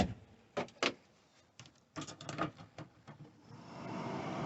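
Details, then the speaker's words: 1990 Chinook camper van: control panel integrated with the stove vent hood; after switch clicks and knocks, a soft steady motor whir as the vent fan runs and lifts the door above the stove; fan and door working normally. "the vent fan so the switch also operates and pulls the door up above the stove"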